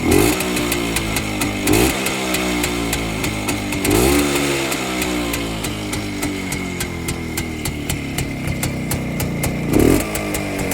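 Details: Restored Rajdoot two-stroke motorcycle after a cylinder rebore with an oversize piston, a month of run-in and electronic ignition replacing points; it idles with an even beat and a few clean throttle blips, running healthy with no knocks.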